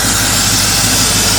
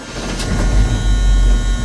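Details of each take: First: 1983 Chevy C10, 350 small-block V8, after tune-up and correcting crossed plug wires, turndown exhausts: steady even exhaust rush with no misses, pops or knocks, running clean; normal running. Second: 1983 Chevy C10, 350 small-block V8, during tune-up: deep rumble with uneven lumpy pulse stumbling every few beats because two spark plug wires were crossed; misfire from crossed spark plug wires.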